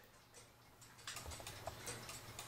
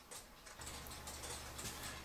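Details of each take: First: Cuckoo clock after cleaning and oiling, hung level: faint ticking in a limping, uneven rhythm instead of steady tick-tock; out of beat, only ticks right when tipped crooked, fixed by bending the wire behind the pendulum. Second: Cuckoo clock after bending the back wire behind the pendulum wire to level the movement: soft, steady, evenly spaced tick-tock with no limping rhythm; clock now in beat.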